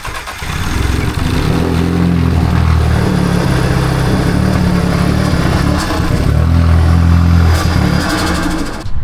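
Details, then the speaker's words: Audi A3 8P engine after re-timing (timing believed correct): lumpy, uneven deep idle that stumbles and surges with misfire-like roughness, sounding horrendous; rough running. "As you can see or hear, that sounded absolutely horrendous."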